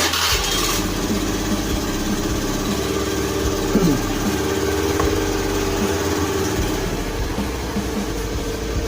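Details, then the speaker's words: Honda Beat FI scooter that bogged and lost power on throttle, restarted after an ECU reset: starts cleanly and settles into a steady, even idle with no stumbling or hunting; fault traced to the TPS sensor. "kita J matiin lagi kita ulangin lagi ya takutnya dia [Musik] berubah Oke aman ya enggak ada kendala"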